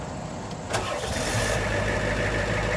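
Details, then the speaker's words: Diesel skoolie bus that would not start, started with a clip-on battery jump pack: brief crank catching almost at once into a steady even diesel idle; quick clean start. "okay it's done where do you see how fast this starts"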